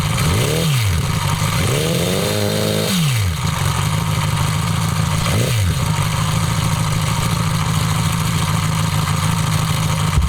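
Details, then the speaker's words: Homemade four-cylinder CD125four engine (Honda Monkey converted, ver1.1) fitted in the bike at a riverbank: revs blipped, then steady idle with light busy ticking from the head; rocker arms can't be adjusted properly (no feeler-gauge access), valve-train noise. "以前に比べてきちんとロッカーアームの調整ができないのでやっぱ少しヘッド周りから音ん出てますね。"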